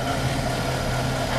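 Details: 1960 Pontiac barn-find V8, low miles, idling with Pertronix electronic ignition and Flame Thrower coil, timing almost on the money, maybe a degree or two off: even, steady low beat, no stumbles or ticking; normal idle.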